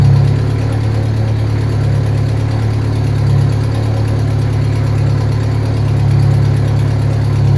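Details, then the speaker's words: Turbocharged car just reassembled after a head rebuild, first start: loud low idle with rough uneven raspy puffing; owner suspects an exhaust leak, probably the downpipe, which has no gasket, and other bad gaskets. "It sounds like it's got some terrible exhaust leak up here, back here somewhere. I'm not sure exactly where it's at. Probably downpipe."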